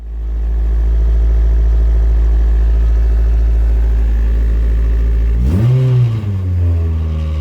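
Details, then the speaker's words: K20-swapped Honda Jazz/Fit on cold start after fitting an FN2 intake airbox with built-in MAF: a low steady idle, then a throttle blip that climbs and drops back cleanly. The idle is much lower and the engine now revs. "as you can see it's uh it's un cold start so it does hold the revs a little bit but the idle dropped a lot lower and it would rev"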